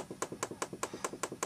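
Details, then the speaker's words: Spectravideo Quickshot 1 joystick dome contact pressed on a table during refurb: crisp sharp snaps about five per second, each with a softer release click; good uncracked dome. "how you know it's a good dome if it doesn't make a little snap sound when you press on it it's probably cracked and you need to find a dome off a scrap scrap stick or something else"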